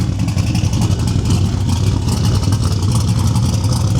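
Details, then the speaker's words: Turbo single-cab truck idling after the Holley digital dash fix, mic about 20 ft behind the camera: strong, even low rumble with steady firing pulses and no knocks or misses. Engine running healthy. "Thing sounds amazing. Idling, doing its thing."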